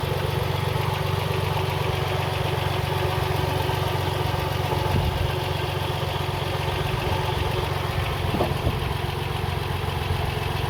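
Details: Car engine idling after a loose pulley was removed and spun silent; steady rough drone with a rapid regular rattle about four per second; worn water pump bearing, antifreeze leaking and puddling beneath the pulley.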